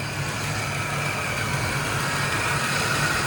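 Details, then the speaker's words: Fox Body Mustang V8 just started: uneven idle with a raspy hiss and faint squeal-like tone up front; no smoke, owner suspects a dropped felt, cause unconfirmed. "All right. It don't sound that great up front, but it could be that felt being dropped."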